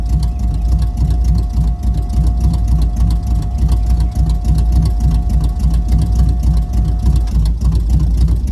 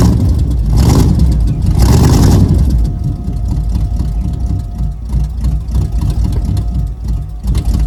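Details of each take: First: 1978 Camaro with swapped-in 305 V8, new distributor, first start in five days, super cold start: lumpy, slightly uneven idle with loping pulse and steady whine; rough cold-start idle but runs good. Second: Freshly 305-swapped built Camaro V8 with headers, first start after a new distributor was fitted (a sheet-metal screw in the oil pan had blocked it): two quick throttle blips, then a low loping idle about three pulses a second, running fine.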